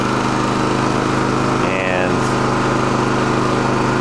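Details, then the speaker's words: Champion dual-fuel generator running on propane after an electric start, in economy mode: a smooth, steady drone with no surging, knocks or rattles. It is noticeably quieter than normal mode, and running is normal. "right now the generators running but when you engage the economy mode it gets a good bit quieter"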